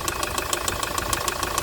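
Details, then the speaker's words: 2011 Hyundai i800 D4CB diesel, idling while warming up, not yet at operating temperature: hard, sharp loud banging about six or seven times a second from the engine; heavy knock, bottom end failing, further running would cause more damage. "so that's going to cause more damage to damage to the engine so as you can hear the loud bonding you know"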